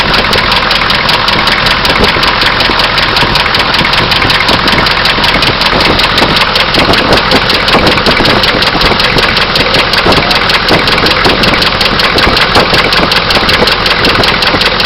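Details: Oldsmobile diesel idling with a loud, sharp, steady clatter and a regular knock; owner suspects a bearing knock or an injector, not confirmed.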